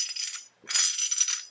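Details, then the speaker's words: Lunchbox locker turned by hand: quick bursts of bright metallic ratcheting clicks as the sides separate and click back into place, as when turning off-throttle; normal, more noticeable when the locker is new. "clicking sound as you turn it's not very dramatic because there's not that big of a difference but it might be a noticeable click especially when the locker is new"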